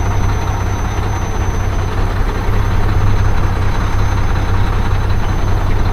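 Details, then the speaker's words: Mack diesel truck at idle, after the fuel pump was bled for an air bubble: low, uneven, stumbling beat, still rough. Owner suspects the injector cups, not confirmed. "I just want to get out and make some money man I'm so tired of messing around with everything oh still doesn't sound right"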